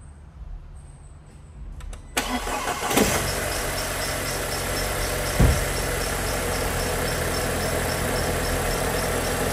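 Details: Audi A4 no-start after customer starter replacement, fixed by fully seating starter connector: quiet hiss, brief crank catches quickly, settles into even steady idle; normal start and idle.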